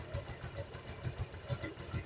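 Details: Yamaha Virago 1100 V-twin before valve adjustment and carburetor synchronization: lumpy, uneven low thumps at idle, some firing pulses stronger than others, never settling; rough idle, unsynchronized carburetors suspected.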